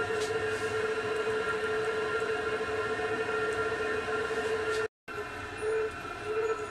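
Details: Chinese diesel air heater on a bench test with rotary controller, warmed up at full power: steady, even roar with constant hum and clear mid tone, no surging or popping; burning cleanly.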